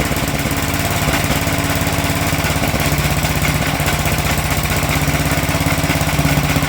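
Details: Sears Suburban 12 lawn tractor with a Tecumseh 12hp engine, barn-stored five or six years, first run: steady single-cylinder run with a fast rhythmic slapping from the pulley, where chunks are missing from the drive belt; a new belt is needed.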